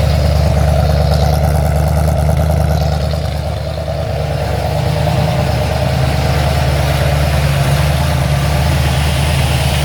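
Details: Ford XC Fairmont 351 V8 on engine running stand, Thermoquad carb fitted, choke not set, initially very rich; deep fairly even rumble at idle with mild swell when blipped, no knocks or misses — normal running, not perfect but acceptable.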